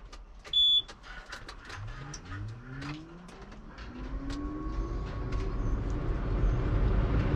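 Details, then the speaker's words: John Deere 8235R tractor, cold start on a weak, partly dead battery (water pump leaking): chime, starter whirs a few seconds, then catches into a steady idle. No caution lights; oil pressure 67 psi at cold idle, fine. "No caution light or nothing flashing. That's what we want. What's our oil pressure at? 67 PSI idling, cold. I mean, just fine."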